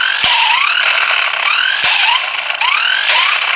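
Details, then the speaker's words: VEVOR electric car jack kit's impact wrench loosening a lug nut on a 4x4 offroad vehicle: motor whirs up in rising sweeps, then sharp hammer blows about once a second; normal hard-hitting operation, nut came loose. "I noticed this is a hard-hitting machine listen real close did you hear it so it spins up it spins to a certain RPM to build up a reaction to make that socket hit that lug nut loose"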